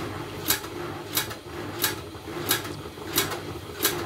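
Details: Washing machine drum rotating with a sharp clack about every two-thirds of a second, locked to drum rotation; a bra underwire tore through the laundry and lodged low between tub and drum. The machine itself has no fault.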